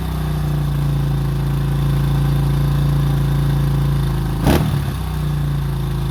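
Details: 2005 Honda CRF150F after valve adjustment and carburetor tune-up fixing a no-start and high idle: steady, even low thump at idle with one quick blip, then settles back smooth; running properly.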